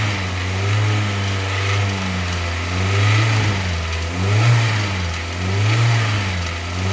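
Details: Kia Sportage 3 at 122,000 km, warm after service (oil Shell 5W30 to NGN 5W40, throttle body and injector cleaning, new oil and air filters, partial ATF change): even idle, smooth gentle revs; dull metallic knock gone; timing chain due for replacement.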